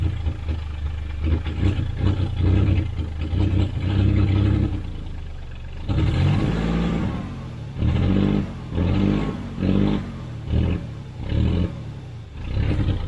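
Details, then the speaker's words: 1991 GMC Sierra 4.3 Vortec, long abandoned, after fitting a new distributor and fuel pump: engine catches, runs steadily and blips up and back smoothly; the transmission pulls in low range. Normal running. "it runs, the transmission pulls."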